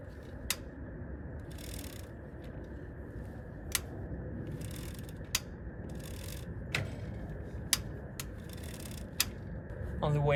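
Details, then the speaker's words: Hybrid bicycle with front suspension: sharp, isolated clicks, about seven in ten seconds, each as a pedal is loaded by hand; flexing the frame without the pedals produces no click, source unknown. "I'm not able to get the clicking noise by simply bending the frame by force without using the pedals."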